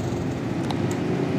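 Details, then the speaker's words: TVS Victor 3-valve bike, new battery fitted, no self-start; old starter relay refitted and found fine, fault traced to the self-start button, which was cleaned; now self-starts and runs steady with an even low drone and slight key rattle, sounding healthy. "पुराना वाला जो release था वो भी बिल्कुल सही निकाला bike self से स्टार्ट हो रही है ये देखो"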